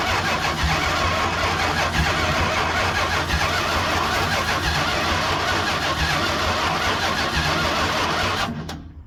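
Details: 1969 Chrysler 300, neglected car's first start attempt after revival: starter churns steadily about three beats a second for nine seconds without catching; long crank, no fire, seemingly fuel-starved.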